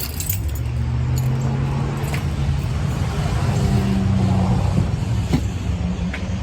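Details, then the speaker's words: 2006 Buick Lucerne 3.8L GM 3800, started after a crankshaft position sensor replacement to check nothing rubs. Low, steady, even rumble with no rubbing or scraping. Normal start and idle. "I'm just gonna go ahead and start her up first and make sure she runs. Make sure nothing's rubbing down there. It's not."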